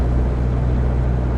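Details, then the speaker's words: Car after TPS replacement, in fifth gear around 60, O2 sensor light on: deep even rumble at steady speed, no surging or stumble; jolting seems fixed, slight remaining jolt blamed on tune. "Yeah. No, seems fixed. Holding steady speed. It's not jolting, jittering."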